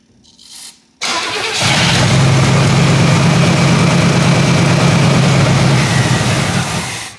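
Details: 1977 Pontiac Grand Safari 301 V8, parked 30 years, fed fuel directly: it catches and roars for about six seconds on a steady low drone, then fades and dies. The carburetor is suspected completely plugged, as the filled float bowl isn't feeding.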